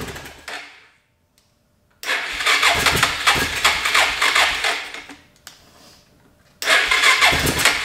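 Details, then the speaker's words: Suzuki DR650 that sat over four years, carb cleaned, battery charged but wouldn't start alone, air box pulled and starting fluid sprayed into the carb: silence, then it fires and catches in rough, uneven bursts. Engine catching on starting fluid, idling rough. "so I decide it was probably time to go ahead and pull the air box so that I can get some starting fluid into the back of the carburetor and see if we can get this thing to hit and fire up private with some starting fluid"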